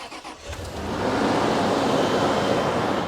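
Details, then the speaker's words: Range Rover Sport bought from a Copart yard, 114,385 miles, original coolant: a short crank, then the engine catches cleanly and settles into a smooth, steady idle with no knocks or misses. Sounds good. "See, I told you. Mint. That sounds really good."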